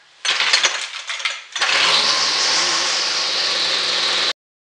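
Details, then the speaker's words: XT200 2-stroke weed whacker after carburetor, rewind and air filter housing repairs, running a little crisper. After a sputtering pull it holds a clean, steady high-pitched buzz with no misfires, running well for a used machine. "Now, it being not a new machine, it runs pretty good. It's a 200, the XT200, whatever that means. And it actually can handle the heavier weighted end."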